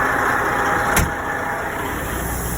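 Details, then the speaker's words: Line-haul truck tractor, diesel idling, air suspension switch flicked to deflate: steady rushing hiss as the rear suspension airbags vent, dropping the frame before pulling out from the trailer; a normal suspension dump. "So you can hear the air leaking out, and what's happening is these airbags right here are deflating, and it's basically dropping the frame of the tractor to make it easier when I pull out."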